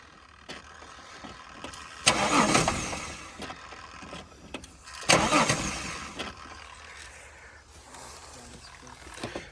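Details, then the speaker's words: Holden VY Commodore manual, left sitting for years, started on a jump starter: rough uneven running with two loud surges; harsh noise stops when clutch is pressed, so it is in the gearbox, not the engine. "Good news is it's running. Bad news is it sounds like that. I'm not convinced that's in the engine though."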